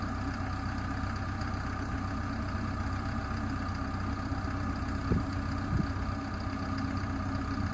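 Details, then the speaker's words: Develon -5 high track excavator diesel idling: steady low rumble with a couple of brief louder clunks; the odd noise is unidentified and is louder heard from a distance than up close. "this sound a little bit noisy I can't remember you know no still sounds funny the closer you get to it the less you can hear it I could hear it more when I was over in the van"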